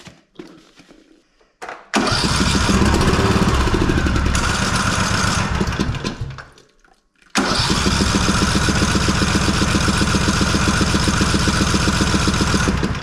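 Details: Husqvarna Rider 213c lawn mower, hot after about an hour of driving: two long spells of steady starter cranking, about four even pulses a second, never catching; cranks but won't start when hot.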